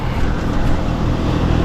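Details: Three-year-old heat pump system after replacing a bad capacitor: a steady low hum from compressor and fan, smooth and even with no buzzing or clatter; running normally at 129 suction, 234 head, and 15-degree superheat.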